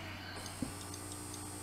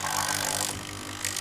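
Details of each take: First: Siemens EQ6 S100 espresso machine that won't froth milk, after an owner repair replacing the ceramic valve and pump membrane: at power-up a single crisp valve click sounds over a steady low hum; the valve operates normally. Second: Siemens EQ6 S100 espresso machine after owner's own repair (new ceramic valve and pump membrane), not frothing milk: pump hums with a strained buzz and harsh hissing surges but no water flows; water won't pass the scale-clogged heater.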